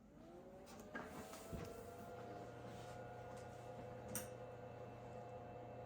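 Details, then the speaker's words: Nan Tan 8100 386 laptop after hard-drive head mechanism cleaning, with DOS 6.22 newly installed: quiet steady drive whir and hum with a few seek clicks as it spins up, a healthy boot to DOS. "Alright, and we are booted to DOS."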